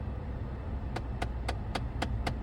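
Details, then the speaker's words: 2010 Lincoln MKS, AC on, recirculation pressed: sharp evenly spaced clicks (~4/s) over low blower hum; failing recirculation blend door actuator that won't engage; fix is replacing it with Motorcraft YH-1779. "Knock, knock, who's home? I don't know, but that's not what we want. And it'll do it again, probably."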